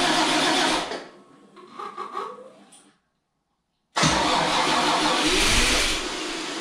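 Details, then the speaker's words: Toyota FJ40 after full engine rebuild, first start, water in cooling system: long rough cranking dies away, then it catches and runs loud and ragged; ignition timing wrong, a vacuum hose left off makes it very rich, lifters tapping. "Le timing est faux Ça marche! ... ENCORE!"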